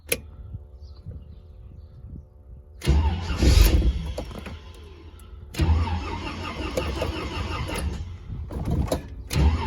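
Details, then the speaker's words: Warm engine held at operating temperature with thermostat cycling, restarted: long repeated bursts of starter cranking before catching, starter heavily loaded; extended cranking on hot start, cause not found. "it loads that starter plenty let's try [Music] again but it does start"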